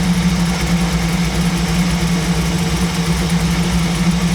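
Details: 1937 Buick street rod, new BluePrint 350 V8 crate engine in break-in, off choke with idle raised: low uneven idle around 800-850 rpm, lumpy and slightly stumbling; idle mixture screws found almost fully in, set too lean.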